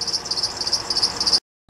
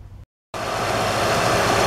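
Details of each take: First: 2007 Honda Odyssey: fast, evenly spaced high-pitched serpentine belt chirps, several a second, keeping pace with the engine; caused by a bad belt tensioner pulley and a bad crank pulley (harmonic balancer), both replaced. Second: 2007 Honda Odyssey after replacing the serpentine belt tensioner assembly and a bad crank pulley (harmonic balancer): smooth, even idle with no more chirp or squeak from the belt.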